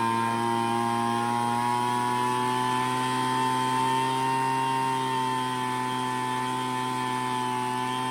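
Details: Craftsman two-stroke leaf blower, long-stored non-starter, during carburetor mixture adjustment: high, steady buzz whose pitch sags mid-clip then recovers as the mixture screw is turned, low end set for idle and high end for max RPM.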